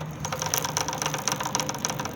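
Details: Honda CG 125 with a new chain and sprocket set: quick, uneven metallic rattling ticks over a low engine idle, appearing a few days after fitting. Chain alignment and chain look fine; the sprocket knocks against the chain and needs replacing.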